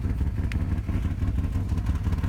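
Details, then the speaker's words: 1995 Nissan Maxima (A32), rough uneven idle with a deep, lumpy exhaust pulse as if a cylinder drops out. The rpm needle bounces around 700, the car shakes, and it clears when revved. It won't restart without throttle. Fixed by replacing injectors, EGR system, coolant temp sensor and vacuum hoses. "it feels like it's missing this thing we all kind of shakes you won't be able to pick up on that but just overall it it feels pretty crummy inside the car very very shaky very nasty also the exhaust sounds different"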